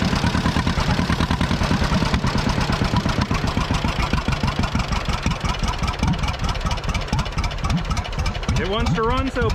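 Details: 83-year-old John Deere B two-cylinder tractor, sat 20 years with a stuck engine, revived: slow, even popping settles into a steady idle with no knocks or misses; first start, running healthy.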